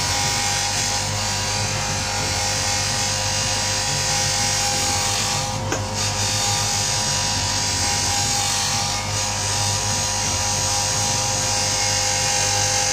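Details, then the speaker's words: Buffing wheel buffer polishing a pipe: steady motor hum with a buzzy, chattering rattle throughout; it rattles even though it has been screwed down, and it makes an annoying sound unless held down. "little rattle um I've screwed it all down and everything but it'll rustle like a bastard"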